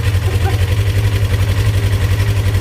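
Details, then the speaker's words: Polaris RZR XP1000 that went through ice into a lake, no start with just clicks; starter jumped straight from the battery, bypassing the solenoid, gives a steady, fast churn then cuts off; starter works, solenoid is bad. "okay so that didn't go quite as planned we did test the solenoid didn't hurt anything so it definitely does need a solenoid"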